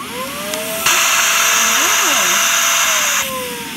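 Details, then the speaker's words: Shark vacuum with a clog: after a big piece of paper was removed, the motor still gives a loud, airy roar with a wandering whistle, the clogging sound, from debris further inside. "Still making that noise. So I'm going to check inside here. So I removed this and it's still making the clogging sound."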